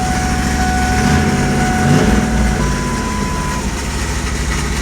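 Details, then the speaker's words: Turbo 5.0 Ford Ranger, cranking on newly fitted starter: high screech stepping down in pitch over a coarse rattle; starter appears not to suit the flywheel, owner thinks it may need spacing out. "Doesn't sound good again. I think I might need to space it out or take some."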